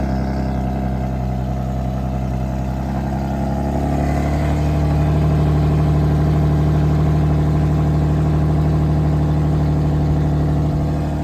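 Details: 2009 Infiniti G37x, possible muffler delete, cold start: deep, loud exhaust drone climbing to a steadier higher idle after about four seconds, no rattle; the earlier nasty rattle is gone, a normal cold start idle.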